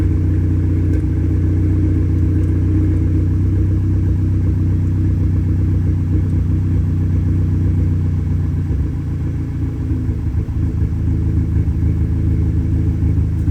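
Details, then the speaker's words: Audi A3 8P idling just after a new crankshaft position sensor was fitted and the battery reconnected; it had struggled to start because of a crank sensor code. The idle still stumbles unevenly with occasional dropped pulses; the misfire cause is unknown. "okay so we're still mess firing for now [Music] I just cannot figure out what on Earth this misfire is"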